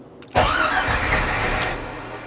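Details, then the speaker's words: Jeep with rebuilt 4.6L stroker engine, first start attempts after advancing ignition timing; cranking catches into a ragged roar that dies within two seconds; fires but won't keep running, owner suspects timing, possibly set on exhaust stroke rather than compression. "fuel pump kicks on oh that was more exciting comes closer it's firing at least"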